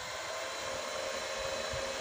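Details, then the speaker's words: Panasonic projector under repair, powered on: both cooling fans run with a steady airy rush and faint constant tone, no rubbing or rattle; fans normal, but the lamp gives no light. "kipasnya dua-duanya hidup"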